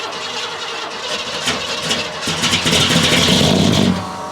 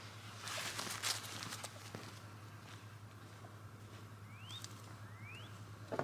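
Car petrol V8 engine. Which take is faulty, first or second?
first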